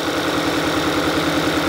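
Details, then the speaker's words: 2022 Kia Sorento, idle with check light flashing: steady pulsing beat with a recurring stumble, cylinder two already misfiring and a coil unplugged for testing; cylinder misfire. "of course the ignition coil is not going to be plugged in and so it's going to be misfiring but you know it's already misfiring on number two"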